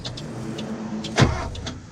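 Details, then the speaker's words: 1973 Porsche 914 sat 3 years, key held at run without cranking: electric fuel pump whirs for a split second then stops dead; pump runs only briefly, cause not confirmed. "Okay, so the pump fires for a split second, but doesn't keep going."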